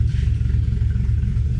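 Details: Freshly 1JZ VVTi-swapped Nissan 240SX S13 coupe, first startup on a new TIG-welded exhaust replacing the open downpipe: deep loud rumble with a lumpy, uneven idle pulse that hunts and stumbles; the engine is untuned.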